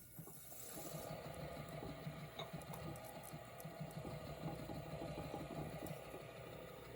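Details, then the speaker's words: NuTone Verandah Deluxe ceiling fan motor after rewiring the switch housing and oiling its stiff bearings with WD-40: steady soft whir with a faint even rattle and no grinding, runs smooth. "The reason why I couldn't use this, because this can't get to those bearings. This thing runs so smooth now."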